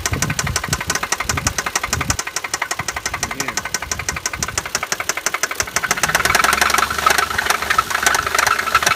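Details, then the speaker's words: Engine running unevenly with a sharp regular tap about twice a second and lumpy chuffing: valves struck by the piston and bent, leaking compression through the head, which can cause vibration and power loss. "xiste un golpe de las válvulas con el cilindro y se doblan si esto pasa se puede presentar que el motor vibre demasiado o también lo más común es que pierda potencia o ni siquiera encienda"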